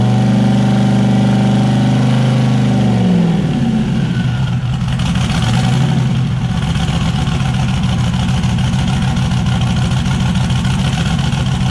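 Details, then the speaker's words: Turbocharged Zodiac S10 after fire-up with turbo setup, wideband not yet hooked up; rough, uneven idle, blipped, stumbling at some revs and clearing at others, a miss. "but it sounds kind of like it's got a little bit of miss at certain rpms but it clears out a certain rpm he'll take a while get all the bugs worked out"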